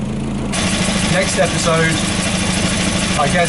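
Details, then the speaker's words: Volvo B230 redblock after replacing worn spark plugs whose gaps were far too wide: steady idle with a light, loose tinny buzz on top from the exhaust heat shield rattling. "the rattling you can hear is the exhaust heat"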